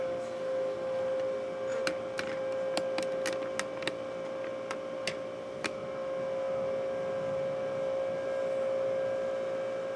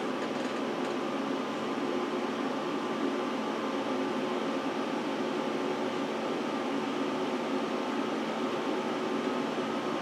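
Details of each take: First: Power Mac G5 Quad at first power-on after unboxing, side cover off: steady whirring hum with one constant mid-pitched tone and a few light clicks as fans and water-cooling pumps spin up; loud but normal. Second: Power Mac G5 Quad during a very long boot after the CD-ROM spun down: loud, even rushing airflow as fans kick up to full speed; owner notes these Macs sometimes crash at this point with fans racing; cause unconfirmed.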